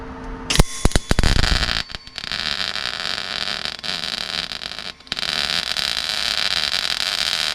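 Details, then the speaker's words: MIG welding inner wing repair on a Rover P6 after voltage turned down and wire speed reduced: crackly uneven spatter in bursts then steady rough hiss; very blobby weld, welder wonders if gun held too long. "Wow, it was really blobby, wasn't it? Is there a fire in there? That was very blobby."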